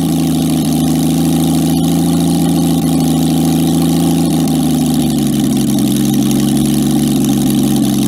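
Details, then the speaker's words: Jaguar XK6 engine in a homemade aluminum boat-tail speedster, after tuning to idle smoothly: loud open-pipe idle, smooth and even with a steady low beat, no misses or knocks. "so once we got it towed up into the yard here we spent a little bit of time fiddling with the engine to try to get it running nice and smoothly and you'll hear for yourself in a minute here just how good this jaguar xk6 sounds once it's idling"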